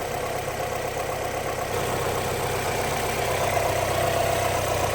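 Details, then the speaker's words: Car in winter, exhaust manifold warm: smooth even idle with steady low rumble, no skips or stumbles, firing cleanly; no misfire, normal idle. "And here we can see that the exhaust manifold's nice and warm. There's no misfire in this car, which you can"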